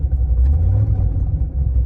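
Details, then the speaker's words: Corvette Z06 while driving: a deep, raspy, coarse exhaust rumble from a golf-ball-size hole in the passenger-side header, where the O2 sensor bung weld failed. Exhaust leak, heading for repair. "got a little bit of an exhaust leak if you can hear that in the Corvette. So we're headed over there to have them fix it up."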